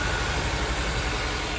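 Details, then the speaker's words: Honda S2000 with 200,000 miles, towed in, shuddering, rough uneven idle: running on three cylinders with a cylinder 2 misfire. The misfire followed the coil when swapped, so the coil is probably bad; the starter was also hanging up. "definitely got a misfire Lally it sounds like it's running on three cylinders"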